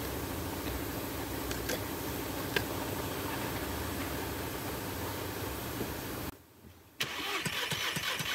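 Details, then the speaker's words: VW Jetta GLI with misfires on all cylinders, cranking during compression test with plugs out: steady even starter churn through each stroke, about 150 psi reading, maintainer added for faster cranking; compression normal. "oh 150 looks pretty good I'm going to put a maintainer on this thing so it cranks a little faster"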